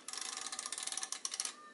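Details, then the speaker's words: Royal KMM typewriter, viewed from the back: rapid, even ratchet clicks, about fifteen a second, as the carriage travels with the rack engaged on the escapement. Normal operation. "it over now it's engaged if you hear that clicking sound you should make a different sound that's moving with the carriage release held"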